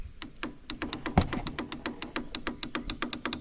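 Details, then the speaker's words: 1996 Kawasaki Bayou 300 4x4 ATV, parked for a year, battery still charged: rapid, even light clicking about five per second with no cranking; the failing starter solenoid is chattering without making contact. "our solenoid's just not making a connection."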